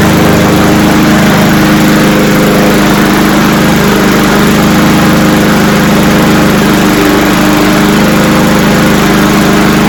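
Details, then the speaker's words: Cub Cadet SC-700H mower, Honda GCV190 engine, cold start with auto choke after sitting unused: loud, steady but rough, uneven single-cylinder running with smoke; owner suspects a lot of oil in the cylinder. "that's a lot of I think it's there's a lot of oil in the cylinder"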